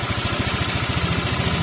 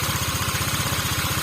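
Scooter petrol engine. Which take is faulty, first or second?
first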